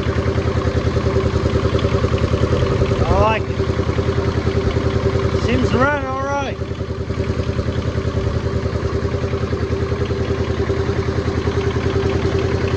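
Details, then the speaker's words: Kubota T1600 diesel mower, 530 hours, first start in years: even steady two-cylinder diesel chug, no knocks or misses, picking up smoothly on throttle; healthy, later warmed to temperature without overheating. "yeah seems to be running good man I'm gonna give her some throttle here"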